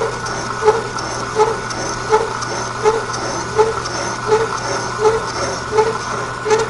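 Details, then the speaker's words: Milling machine with boring head cutting a counterbore in an Armstrong No. 41 planer/shaper tool holder, knee raised slowly by hand: steady hum with light buzzing tick about 82 per minute, once per slow turn; slight tool chatter, hence slow speed. "And you can hear that little bit of chatter. That's why I'm running it so slow."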